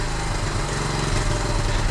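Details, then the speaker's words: 1976 Honda Z50J1 Monkey bike after ignition work (timing, points, coil). Small single runs strong and steady at speed with an even buzzy beat and no misses; a noticeable power gain. Owner thinks the problem is solved but the gap still needs fine tuning. "Well, straight away that's a much noticeable power gain. Definitely. I think we cracked it, you know."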